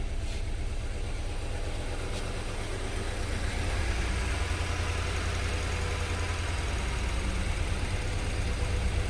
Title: Misfire cylinder 1